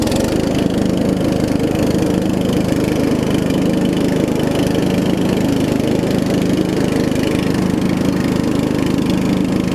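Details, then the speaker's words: Murray widebody riding mower with 16.5 hp Briggs single-cylinder engine, after new carb, fuel lines and valve adjustment: steady, even low chug with no knocks or misses, a little loud from a small exhaust leak; runs and drives great. "It should crank. A little loud. It's got a little exhaust leak, but runs and drives great."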